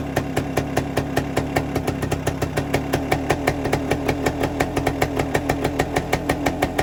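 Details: 1973 Suzuki TS250 Savage two-stroke single, revived after 25 years in a barn, running on auxiliary tank: crisp, even popping about seven beats a second, steady, no misses or knocking, oil line pumping properly; normal two-stroke idle.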